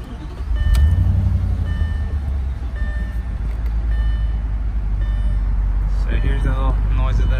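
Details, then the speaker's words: 2008 Audi S4 with no check engine lights on, mic at the rear tailpipe: a steady, deep exhaust drone with an even pulse and no missed beats. It runs normally with no misfire. "so this is exhaust I mean doesn't sound like any misfires or any of that sounds very normal"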